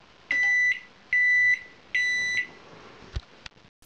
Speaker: есть получается приборная панель у вас работает кнопки все работают дверка открывается закрывается все в порядке но здесь пищи что работает сейчас я включу фонарик чтобы лучше видно было этот вентилятор не крутится трансформатор не гудит магнетрон не не фурычит